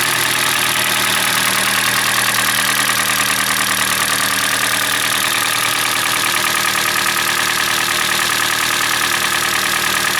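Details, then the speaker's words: Hyundai Elantra G4NB engine, about 2012-2013, roughly 240,000 km (uncertain), cold idle: hard, regular metallic rattle over engine note; piston slap from scored cylinders. "А сейчас послушаем, как он будет стучать и создавать звуки на холодном двигателе. Вы знаете, у меня впечатление, что на горячую гораздо сильнее."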